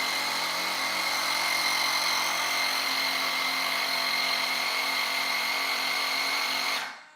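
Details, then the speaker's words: Onboard air compressor of a giant RC F-14 jet at power-up: a steady, high-pitched electric buzz for about seven seconds, then a clean cutoff. Normal compressor operation. "So you're going to hear the compressor kick on most likely."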